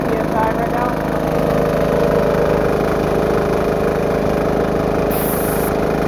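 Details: Diesel-engine air compressor with new, not yet worn-in belt and pulley, warming up around 80–100 PSI: steady run with quick fluttering slap over the engine drone; V-belt flapping.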